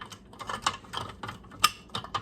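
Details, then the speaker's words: Jars of pressure-canned bacon ends just removed from a Nuwave 13-quart electric canner: scattered sharp metallic pings and clicks at irregular intervals in a quiet room; jar lids sealing. "I heard it ping. You hearing it ping? Ooh, happy sound, happy sound."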